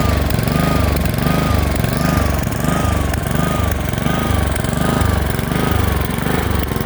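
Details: Honda HRX217 mower engine surges, speed hunting up and down about 1.5 times a second; fixed by cleaning the carburetor.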